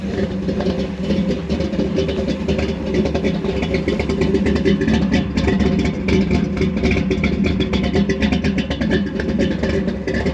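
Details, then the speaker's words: Fire-damaged 1955 Chevy Bel Air V8, just revived, slinging oil: a deep, strong, even run under loud music, with no knock or miss, still clearing itself out; the engine sounds healthy with good oil pressure. "man this thing sounds healthy though it is ridiculous I mean it's like in your chest that's not bad at all"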